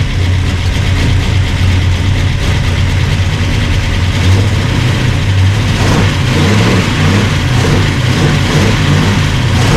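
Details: Burned-up rat rod "Doje'llac" V8 with freshly done carburetors, first run after the fire; deep even rumble settling to steady idle, then a few throttle blips; runs clean; normal running.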